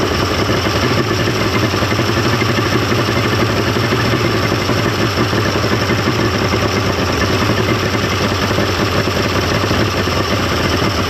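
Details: 1995 Mercury 200hp XR6 Blackmax two-stroke outboard after timing adjustment and clearing carburetor jets; even, steady idle holding one speed with no stumbling, misses or surging, running much better than the day before.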